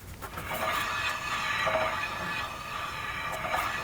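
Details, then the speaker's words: 2006 Mazda 3 2.0 L four-cylinder, about 294,000 miles, wheel freewheeling on lift: harsh, uneven scraping rub; customer suspected wheel bearing, but it is a very bad warped brake rotor dragging on the pads; fix is four rotors and new pads. "Man, that's bad. It even sounds bad just freewheeling. Ugh. But that's not wheel bearings."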